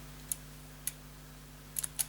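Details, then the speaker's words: Paper shredder that runs on after shredding and overheats; sticking paper-detect microswitch, its actuator flattened for an extra fraction of a millimetre: small, irregular, hesitant switch clicks on and off, newly audible, over a faint steady hum; switch still not springing back. "delayed what I can definitely hear that clicking on and off which I couldn't hear before"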